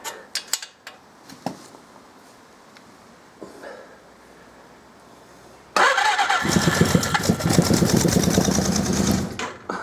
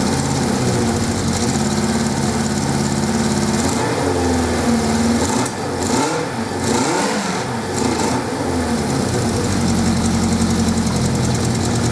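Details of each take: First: 1979 Suzuki GS550E laid up about five years, on a power pack with ignition and spark confirmed, still on old fuel: near silence with a few clicks, then the engine catches at about six seconds and runs unevenly on first firing after storage. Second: 1979 Suzuki GS550E motorcycle, first start attempt after about five years laid up under a cover: engine runs on its own with a steady beat, revs dip and pick back up midway, then settles into an even run; normal running.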